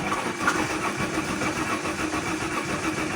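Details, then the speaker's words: Alfa Romeo 164 2.0 V6 turbo: starter, already somewhat worn, spins the engine quickly with an even compression pulse at about 105 beats a minute, but it never catches. Cranks, no start; spark and fuel pressure still to be checked. "okay clearly it goes It goes fast also you can hear compression"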